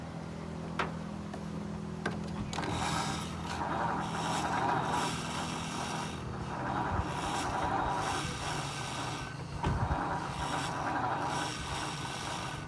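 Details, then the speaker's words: 1950 Ford F1 with 8BA flathead V8, little or no fuel: starter spins engine with steady rasping churn about four beats a second, never catches; crank no start, coil suspected not getting power, unconfirmed. "But it probably still won't do anything because the coil is not getting power to it."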